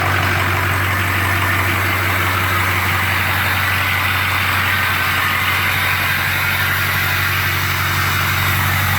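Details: Ford 6.0 Powerstroke diesel idling after the number 8 injector was replaced to cure excessive smoke: a steady, even idle with a low, constant drone and clean clatter, no misses or stumbles. It runs smoothly and healthy.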